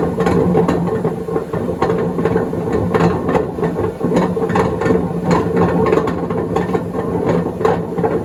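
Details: 2012 Beko WMD261 washing machine at high spin during spin and drain: heavy rumbling roar with rattly knocks each drum turn; drum bearings shot.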